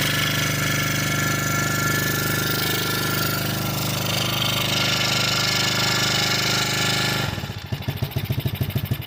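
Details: 110cc kids quad revived after sitting outside 2+ years, carb cleaned but leaking fuel: busy uneven running that never picks up, then ragged pulses; won't rev, owner suspects a misadjusted throttle stop screw, to be backed out.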